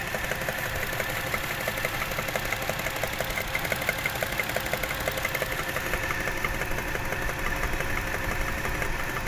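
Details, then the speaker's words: Toyota 1JZ-GE at idle: fast light tapping about three per second keeping pace with the engine; knock source unclear, others advise checking camshaft bolt tightness; unconfirmed. "Где-то здесь постукивает."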